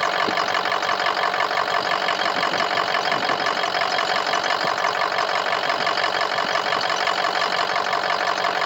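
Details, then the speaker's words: Diesel restarted the day after a road trip, starting almost immediately; injector self-test showed only 2 injectors firing, owner believes the injector harness is at fault, not the injectors. Idle runs rough with uneven rapid patter, then smooths out as it warms. "Almost started immediately. Almost. And then it's rough and smooths out. Rough and smooths out."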